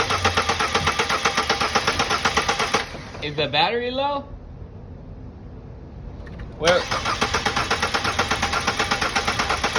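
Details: 2011 Ford Focus no start after timing belt replacement: starter cranks evenly about four beats a second, pauses, cranks again, never catches; crank pulley is the pickup for the crankshaft position sensor, so no crank signal means no spark or fuel.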